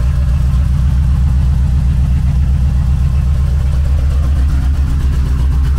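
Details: Just-bought Chevrolet Corvette C4 V8 through idle and light revs: a very loud, deep, open burble with a heavy low rumble, because the rear mufflers are missing.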